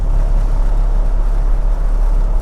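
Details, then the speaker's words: Toyota Land Cruiser abandoned for 8 years, at about 50 mph: heavy, steady low droning rumble from severe vibration whether accelerating or not; suspected driveshaft, prop shaft or universal joint, or tire flat spots, unconfirmed. "I mean, it is really quite severe this vibration."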